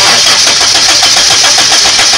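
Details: Toyota Kijang cranking right after the ignition points (platina) were serviced and adjusted: even, rhythmic starter cranking at about five pulses a second, and a spark is seen at the points. Normal cranking.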